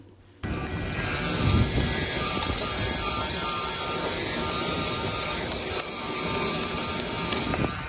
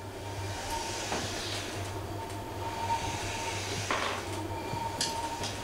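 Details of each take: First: Permobil F3 power wheelchair drive motor clip recorded before repair, making horrendous noises under load: motor whir with rapid, uneven clicking as the brushes chatter; cleaning the dirty brush housings fixed it. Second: Permobil F3 power wheelchair after cleaning the motor brush housings, driving on carpet to warm it up: low, even motor hum with only occasional chair bumps and no clicking from the left side; the drive motor now runs normally.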